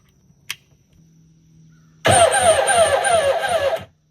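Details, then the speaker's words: Kawasaki 1100 Jet Ski engine with low compression; brief cranking, a steady whirring chug about three beats a second that eases off; slow, labouring crank; owner suspects a bad battery or a weak starter that loses power when hot, battery reading 13 volts. "Did not sound good. [Applause] Either we got a bad battery or the starter's weak. I don't know which."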